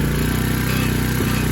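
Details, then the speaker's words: Tao TBr7 250cc single-cylinder after installing a PZ30 carburetor, idle tuned down to correct speed: a steady, quick putter with no misses; normal idle. "We are back in business guys! I call that a WIN guys! Everything sounds good."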